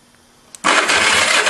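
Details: Go-kart small engine with points-and-condenser ignition, key on during a spark check: quiet, then a sudden steady rough churn as the starter turns it over evenly without dragging; normal cranking, with spark present.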